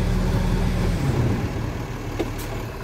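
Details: Case 9900 harvester diesel: steady low rumble with an even beat and no knocks or rattles, running normally after starting; with the topper blade-change safety light on, it starts only with the throttle button held back/down.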